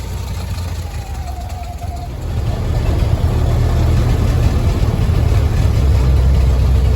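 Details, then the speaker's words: Rattle in the engine of a Willys CJ3B slant-nose after fitting a GM-style one-wire alternator; charging system works and nothing got hot on a drive, but a loose, uneven rattle rides over the idle and firmer run, source not pinned down. "uh the only problem is is the I got a little rattle in this engine I don't want to blow this engine up so I'm not going to keep running it"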